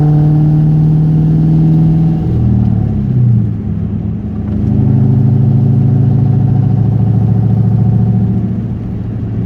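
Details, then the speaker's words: 1998 Mustang Cobra V8 as it warms: light irregular tapping chatter over the rumble, rising and falling with throttle, mostly 2–3k rpm, gone under load and on deceleration; absent cold; suggested: rod bearings, lash tensioners, exhaust leak. "So, as you can tell, when it's cold, it doesn't do the tapping sound. But as soon as it gets warmed up is when it starts in. I've had a few tell me bearings, engine bearings, my rod bearings."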